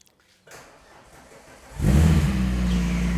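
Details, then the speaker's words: VR6 engine first start after pump fitted, run briefly kept cool; fires after short crank and idles steadily without misfire, mechanical noise over idle on one side; owners suspect timing chains rather than head gasket. "Okay, so it is a bit noisy on this side. Engine is a bit noisy, but we obviously knew that."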